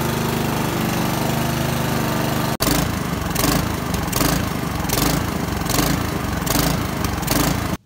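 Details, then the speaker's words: Honda lawnmower during tune-up, single-cylinder: uneven beat with revs rising and falling every second or so; rough running and surging. "you can hear it's running really rough um and if gas out in that carburetor that's going to be very typical"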